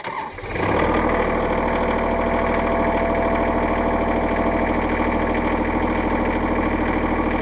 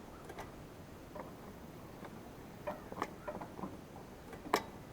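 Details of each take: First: Kubota L3800-era diesel tractor, after a no-start caused by a stuck speed-control (forward/reverse) pedal plunger switch: cranks briefly, catches and settles into a steady, even idle with no misses or knocks; normal start. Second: Kubota tractor that wouldn't start, engine off: sparse, uneven plastic clicks as the forward/reverse speed control pedal is worked. The pedal's safety plunger switch is sticking engaged; the fix was replacing the switch.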